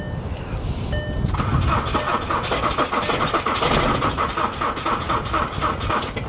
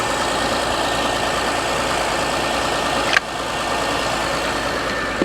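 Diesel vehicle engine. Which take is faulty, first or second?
first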